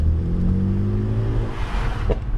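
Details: BMW with stock exhaust, no ECU coding: revs fall away on normal lift-off with a single small crackle from the exhaust near the end, the only pop the stock setup makes; normal lift-off pop.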